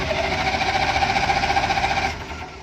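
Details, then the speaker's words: Non-running military generator, battery-connected for testing, turned over by starter: steady evenly spaced compression pulses, no weak beats; compression even across cylinders, so a fuel issue is suspected. "Sound, if you heard how even that compression was, you can tell it has really nice compression to it, super even across the cylinders."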